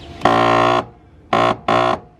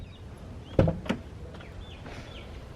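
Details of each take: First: BMW E46 3 Series power window motor, replaced about three months earlier and failing again. Lowering is fine, but as the glass reaches the top, three loud harsh buzzing grinds come from the motor area. Motor suspected stripped or not stopping at the top. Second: BMW E46 3 Series door after replacing the power window motor: a couple of switch clicks, then a smooth, even motor hum running the glass up and down without grinding or hesitation. The window works normally.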